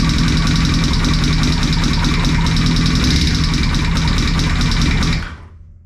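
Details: Yamaha R1 running rough with heavy, rapid ticking; a valve spring collar was found under the timing cover, indicating a dropped valve.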